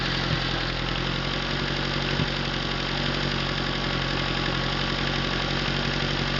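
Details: Atomic 4 inboard engine overhauled last summer (new pistons, rings, valve springs, plugs, wires, higher-flow water pump), run without choke on a test stand for a 17-foot homemade wooden boat, alternator off: steady, even idle, smooth low beat, no knocks or misses; normal idle.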